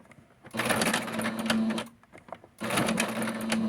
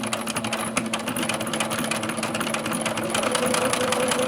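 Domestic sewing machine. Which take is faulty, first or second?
first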